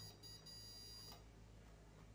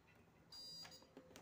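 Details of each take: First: SWS UPS (no-break) several years old that sounds an alarm and flashes its LED when switched on, yet still passes power. Shrill electronic alarm tone with brief breaks over mains hum, exhausted batteries: UPS battery fault alarm. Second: SWS UPS (no-break) switched on after replacing its old batteries: single steady high beep of about a third of a second, a normal startup; before repair it alarmed and blinked its LED.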